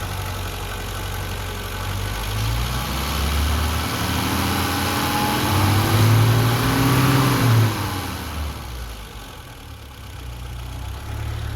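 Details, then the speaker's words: 1982 BMW 320i (E21) with 253,000 miles, after new Delphi FE0484 in-tank fuel pump, tanks and fuel line reinstalled, cleaned injectors, fixed vacuum leak, cleaned idle air valve: revs up smoothly and drops straight back to a steady, even idle; normal. "right back to a nice smooth idle guys this car has 253,000 miles on this thing"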